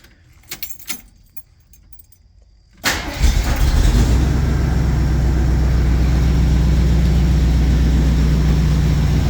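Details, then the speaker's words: Jeep J10 with a rebuilt carburetor at cold start: it cranks and settles straight to about 1,000 rpm instead of the 1,600 rpm high idle, with no fast idle or kick-down. The owner will check the choke high idle; the cause is unconfirmed. "the only thing is it doesn't have high idle so when I turn it on it just idles at like 1,000 RPM it's not idling at like 1600 like it should"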